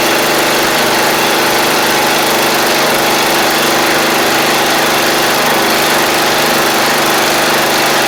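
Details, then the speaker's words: MTD Murray riding mower, about 7 years old, small single-cylinder engine running after fuel-flow check and solenoid work: steady, even buzz with no surging or missing; everything seems to work, normal running. "that's good seems like everything wants to work so that's good"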